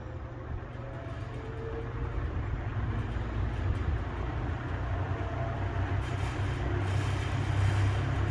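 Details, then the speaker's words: Westinghouse box fan, possibly early-to-mid 1970s, started on low speed, recorded on a phone: a low whirring rumble builds over several seconds with a faint whirring whistle on top; normal spin-up. "now i don't know if you could hear hopefully it didn't make that muffling noise against the microphones on my cell phone but that it was like a whistling if you heard that like a whirring whistling"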